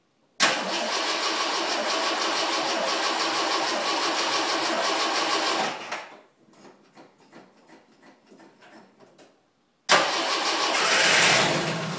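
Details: 1980 Jeep CJ5 cold start after sitting four or five days in a garage through sub-zero nights and about five-degree days; it catches almost at once and settles into a steady, even run, then restarts cleanly: a healthy cold start.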